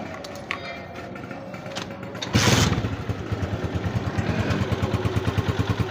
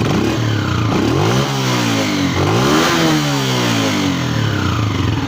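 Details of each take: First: Honda CG125 2025, 5483 km, after replacing faulty cam gear that caused crying whine: smooth even single-cylinder idle and blips, no gear whine or clatter. Normal idle. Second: Honda CG125 2025 model, 5483 km: thin crying whine over the single-cylinder exhaust note, rising and falling with revs; faulty cam gear found after opening the cylinder head, before replacement.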